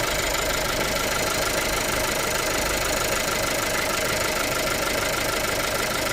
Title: weird ticking noise 2018 audi a3 1.5 tfsi